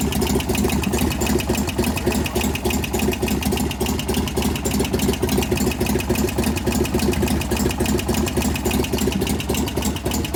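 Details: 1988 Harley FXR twin after lifter work, pushrod adjustment and cam change: quick steady light tick, three or four a second, over loping idle; suspected lifter/valve train noise, source not yet identified.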